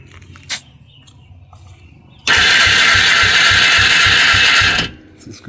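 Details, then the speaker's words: Polaris 300 two-stroke ATV, Wossner top end, non-functional oil injection, compression dropped to 20–30 from 50: even fast cranking with no firing and little resistance per stroke; no-start from low compression, owner wonders if new rings might seat. "turn it on and here we go yeah it's working all right so that was unsuccessful um you think new Rings might seat to the new size of our cylinder wall"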